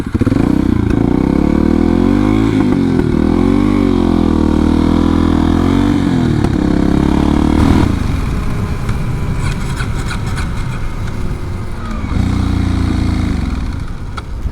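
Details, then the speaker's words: Kawasaki Super Sherpa single, just refilled after running out of gas: it thumps unevenly, revs sag and it nearly stalls midway, then picks up briefly, sputtering under load; owner unsure whether it is flooding or running lean. "oh it still doesn't like it i think we're are we flooding or running lean"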